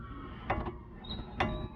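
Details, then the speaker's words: 2000 Jeep TJ front axle being turned by hand with the wheel off: short dry creaks, thin squeak and knocking with slop at the joint; worn front axle U-joint. "all right so now you can really hear that's that u-joint knocking around so more than likely you'll be able to see back in here where the u-joint is there's a little bit of slop that's our issue"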